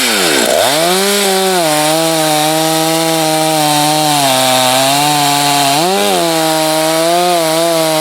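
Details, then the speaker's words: Hot test cut in hardwood, likely the not-yet-broken-in Husqvarna 254, compared with a 562 and a salvaged 51, all judged good firewood saws. A strong, steady high-revving scream dips briefly under load and recovers quickly with good power. "all three of those saws would be good firewood saws obviously the 562 is faster that 254 is quicker than you think that darn thing's got some power and that 51 that thing runs strong"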